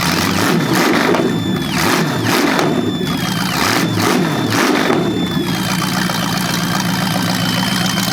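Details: Chevy 350 small-block (3970014 block) from a 1970 Camaro, first run on an engine run stand: throttle blips, then a smooth V8 idle with a faint squeak, possibly from the carburetor. Running well; normal idle.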